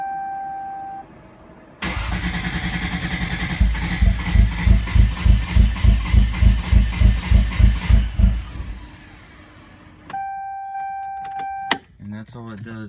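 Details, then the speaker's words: Toyota Supra on E85 after injector reinstall: starter spins, even cranking pulses about three per second with near-catches, gasping as if short of air, no throttle response, strong fuel smell; cranks but no start, cause unconfirmed. "wants to start really bad just it does that air thing it's like you know it's it's almost there but it won't it won't stay won't stay cranked"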